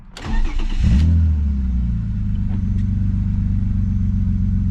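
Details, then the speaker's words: BMW E36 M3 after new valve cover gasket and spark plugs to fix codes P1188/P1189 (running rich); quick crank, catches cleanly and settles into a steady, smooth low idle with no misses, engine running healthy. "let's go listen do it outside well it sounds like it's a like Smooth"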